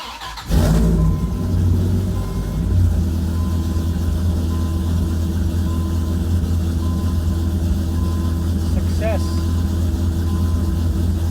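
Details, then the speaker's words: 1997 Dodge Viper GTS after fuel pressure regulator leak-back fix, cold start: catches instantly on first key turn, then settles into a steady, slightly raised cold idle with no stumble, expected to drop. "so cold so that idol should come back down but"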